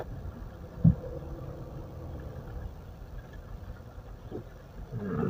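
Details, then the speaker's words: Mitsubishi Pajero that screeched when braking (thin pads, possibly hardened backing) after new pads were fitted. Reversing gives an even low rumble with soft thumps and no squeal or scrape. Quiet brakes after repair. "nggak bunyi udah nggak bunyi teman-teman mundur sip mobil mahal enak bunyinya udah hilang"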